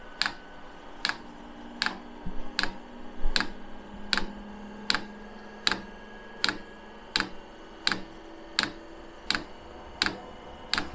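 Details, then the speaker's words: 5 kW 12 V all-in-one diesel air heater on pump diesel, first fire-up, not pre-primed, glow plug on: sharp, even ticks about every 0.8 s as the dosing pump starts drawing fuel; normal fuel pump ticking. "yes right that's the pump just started kicking away to take some fuel"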